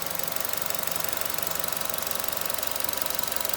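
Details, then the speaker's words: 2015 Chevy Trax 1.4 Ecotec turbo, 89,489 miles, no codes, idling evenly with a light regular tick about three a second and no stumble after a new coil pack cleared the random misfire; running healthy. "and I have no tripping and my new coil cleared the random misfire and they're running perfectly again"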